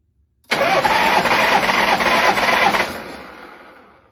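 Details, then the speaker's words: Shovelhead after top-end rebuild, compression test with throttle wide open, plugs out: even starter cranking with a light, uneven beat; zero compression on rear cylinder (stopped working on test ride despite good spark and pushrod adjustment), front a bit low. "That's not good really. But it's got compression on the front cylinder but not on the rear."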